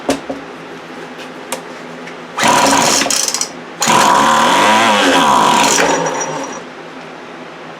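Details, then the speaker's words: 2008 Poulan Pro PP25E 25cc two-stroke trimmer, abused, with misrouted fuel lines and a clogged carb screen: it bursts to high revs with a wavering howl over the buzz; something internal is making noise, cause unknown. "right well it runs something in there is making some noise but it runs you can hear it howling"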